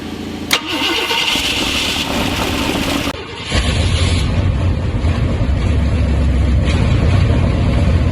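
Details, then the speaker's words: 1969 Ford F250 Ranger camper special, FE big-block V8 (360 or 390 unsure), C6 automatic, off road since 2008, very bad plugs: catches after cranking into a loud, uneven lumpy idle; suspected stuck float needle seat starving fuel from the electric pump; heavy PCV blow-by. "so the thing runs right now um float house needle seat or something is stuck because the electric pump doesn't really want to get fuel inside the carburetor"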